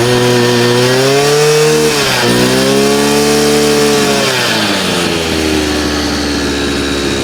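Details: Chinese 43 cc two-stroke brush cutter that started but wouldn't rev and stalled, after teardown and inspection: revs up cleanly, holds high speed evenly, dips and climbs smoothly; runs strong and healthy.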